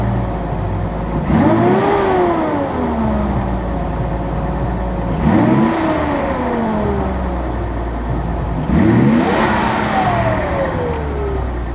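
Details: 1983 Nissan 280ZX Turbo, cold engine: three quick throttle blips rising and falling unevenly with a rattly edge; rough running and popping. Cause unconfirmed; owner suspects fuel injector, fuel pump or damper, throttle switch or airflow meter.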